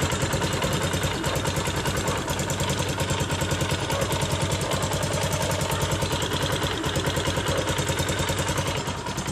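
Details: CRZ 150 SM motorcycle bought at 550 km, engine noise fixed by fitting a missing spring securing the camshaft gear shaft: steady single-cylinder idle with even firing pulses around three per second and no odd knocks; sounds healthy.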